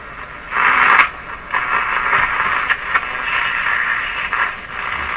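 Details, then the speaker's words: RCA Victor A23 tube radio on the AM band at full power after repairing the damaged antenna coil (now about 2 ohms): loud hiss and static swelling with tuning, stations breaking through between crackles; AM reception normal. "definitely receiving. But what I did should not have affected this band."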